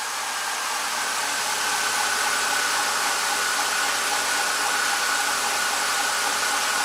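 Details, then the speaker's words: 2007 BMW X5, warm engine: cooling fan stuck blowing full speed with a constant jet-like airy roar because the four-wire electric water pump is failing; pump still circulates coolant, no overheating, but will fail. "I guess the pump still can pump the flow through it's just you know this fan it blows all the time and this pump will fail at some point for sure"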